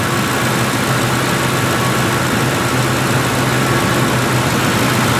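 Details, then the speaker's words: Ford 4.6 2V V8 after a new intake manifold and new injectors: smooth, even idle with a steady low hum and no ticks or misses; the engine is running very well. Normal idle. "God, this is running so good."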